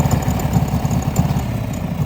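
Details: Harley-Davidson Evolution V-twin chopper at idle: loping uneven thump with light, sharp ticks keeping pace with the engine; top-end tick, source unconfirmed.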